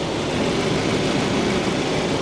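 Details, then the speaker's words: Small 2.0-liter 4-cylinder heard standing in front of it, running smooth with an even low idle rumble and no misses or knocks; sounds decent and healthy. "It actually seems like it's running pretty good standing in front of it, guys. It sounds decent."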